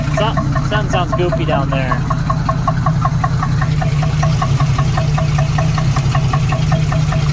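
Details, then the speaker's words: 1976 AMC Gremlin engine revived after 36 years stored: lumpy idle with sharp uneven metallic tick, like metal hitting metal, owner doubts it is engine knock; source undetermined; metallic knock at idle. "sounds like literally metal hitting metal like a knock but it doesn't sound like an engine knock to me"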